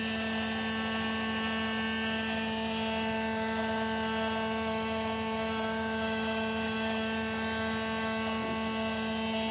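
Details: 1995 Porsche 993: a steady high buzz with several constant tones from the forward area, also heard in the cabin, unchanged with engine speed; fuel pump suspected.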